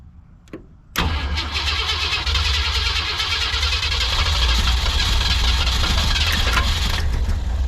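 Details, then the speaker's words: 1965 Lincoln Continental after sitting for years, new gas tank and carburetor adjustments, coil hotwired, a little cold-natured: short crank, fires at once and settles into smooth steady idle, no more blow-by. "getting she runs good she CH good I'm sure she need two CLS a little attention but I don't have any more Blow by any more weird Blow by coming out uh the idle's good"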